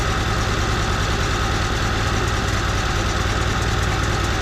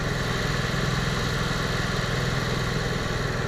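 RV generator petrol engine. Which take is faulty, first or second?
first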